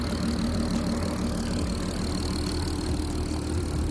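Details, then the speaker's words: Mk5 VW Golf R32 VR6 turbo conversion on Stealth base map, no dashboard errors: smooth steady idle with light injector ticking over low rumble; quieter than the standard non-turbo engine, healthy. "so to drive a nice no errors on the dashboard so the base map from stealth is cracking like always it's a lot quieter than uh and it is standard"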